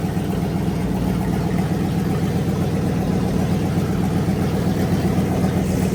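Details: Fully rebuilt Magnum 318 V8 (360 cam, roller lifters, new timing set, valve job) after fixing a carburetor vacuum leak and setting timing, running through heat cycles: deep even burble, no misses, knocks or ticks; healthy idle.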